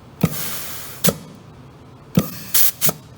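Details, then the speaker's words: Transmission clutch piston air functional check during assembly, after clutch endplay measurement: air applied by rubber-tipped nozzle to apply hole gives three sharp clunks, then short hiss bursts that stop dead; no steady leak, piston seals, not torn. "so what you should hear is it kind of holds that pressure in there if I if I applied it and I hear this leaking out of here then I know that maybe I've got a I tore my piston"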